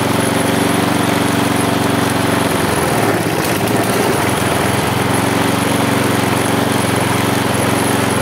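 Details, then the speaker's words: Husqvarna J55S mower with B&S 650 engine running loud with a wavering beat that dips midway, vibrating; possibly choking on a dirty air filter. "kosiarka mimo to i tak ma wibracje"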